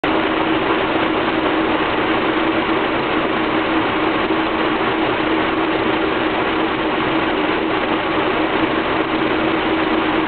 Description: This shows how rough my engine is at idle. You can see the vacuum fluctuate between 13 and 15 inches. The entire engine shakes.